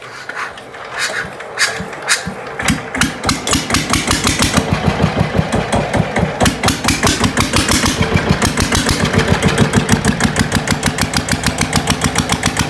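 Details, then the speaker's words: GA70 single-cylinder diesel on a water-pump stand after water-contaminated sump oil was drained and the plugged sump drain opened; steady fast even chuffing settling after start, no knocks or misses; engine now runs smoothly, normal running. "ไ้าระบายแล้วมั่งเครื่องลื่นแล้วเนี่ยนี่ฮะเสียงเครื่องลื่นะ"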